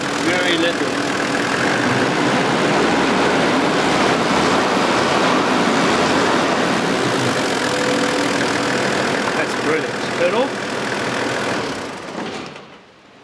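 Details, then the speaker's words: Half-million-km Toyota Land Cruiser engine catches almost instantly on the key and settles into a steady, even idle with no misses or knocks; oil-cap check shows no crankcase blow-by, sounds healthy. "the start-up is always important to listen how quickly. These start on the touch of the key."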